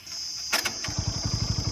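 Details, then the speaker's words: TVS Apache RTR 200 4V with 22,000 km and no smoke: the engine fires and settles into a quick, chattering idle with light ticking; the head is to be removed. "So இன்ஜினில் இந்த noise இருக்குது. So இந்த நாய்ஸ்க்காக தான் வந்து பார்த்திங்கன்னா அவர் எடுத்து வந்தார்."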